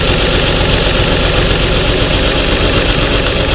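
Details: Truck with the check engine light flashing and code P0350: idle stumbles with an uneven low thump as a cylinder misfires; the sound changed when coil connectors were unplugged except on the faulty coil, which was replaced.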